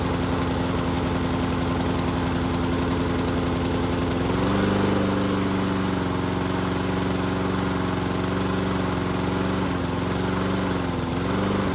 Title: Fixing A Mower That's Surging.